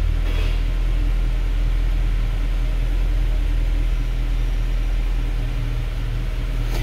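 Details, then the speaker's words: 2013 Mercedes C63 V8, 100k km, cold start after refitting the throttle bodies and clearing the throttle adaptation fault, new battery: deep, steady idle, even rumble, no knocks, misses or hunting; healthy. "Not bad, not bad. Nice. It is a cold start, by the way, yeah."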